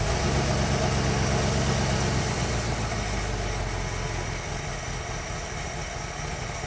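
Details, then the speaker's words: 1973 Dodge D100 just after a fuel pump replacement, cold, on partial manual choke: a deep, lumpy idle that sags as if about to stall. The cold idle is unstable and may need idle screw adjustment. "see how it idles now with a bit of Choke till it warms up it sounds like it might die make a liar out of"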